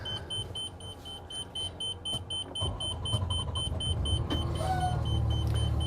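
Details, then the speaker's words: 2025 Renegade Verona 40VBH Super C RV (Freightliner M2 106 Plus chassis, 8.9L L9 Cummins diesel) in the cab at start-up: fast steady high beeping is the EQ leveling jack warning, common after sitting when the jacks shift slightly. "right now that beeping is your leveling system your EQ leveling system so when you hear that beeping it's pretty common sometimes if it's been sitting for a little while the Jacks move even just a hair"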